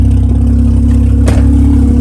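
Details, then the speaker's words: Mazda RX8 manual rotary, bought not running at auction, starts right up after fuel pump fuse fitted and both leading and trailing spark plugs replaced; smooth even rotary buzz climbing cleanly with each throttle blip, no misses, normal revving. "Ooh, man. Started right up. See? It's crazy."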